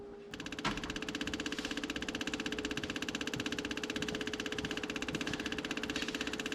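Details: 1962 AMC Rambler wagon engine, forgotten 50+ years, idling after the points were reset and everything was locked down; even, steady idle with regular firing pulses about four a second, no misses or knocks, running smooth.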